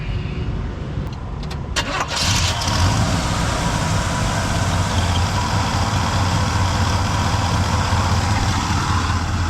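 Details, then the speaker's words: 1974 Chevrolet C10 pickup, reportedly Corvette engine, after vapor-lock fixes and a fuel leak: catches after a few cranks and settles to a steady, even idle; lumpy idle appeared later. "looks like we're doing significantly better"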